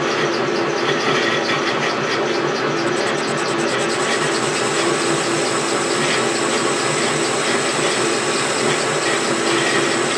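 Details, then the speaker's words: Milling machine motor under cutting load while machining an R8 arbor: constant harsh grinding with thin high screech; motor bearings worn, need replacing. "man you could hear the bearings on my motor just grinding they definitely need to be replaced"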